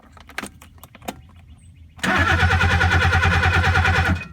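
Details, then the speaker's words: 1969 Mercedes 280SE whose starter had quit after long cranking; owner suspects a bad connection or melted solenoid wire. A few faint clicks, then the starter suddenly spins the engine with quick even pulses and it catches: intermittent no-crank. "so i got something bad bad connection up here i thought i thought it was game over man you just saw it come back to life"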